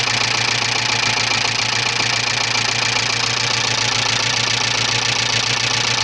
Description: стучит двигатель ea82 subaru leone 1985